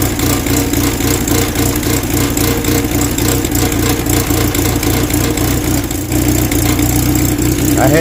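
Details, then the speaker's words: 1969 Mustang body on a 2.3L engine with new hybrid HEI ignition and NOS distributor, just after startup: steady, even idle, firing beat three to four per second, no knocks or misses; healthy engine. "Sounds like a pretty healthy engine so far."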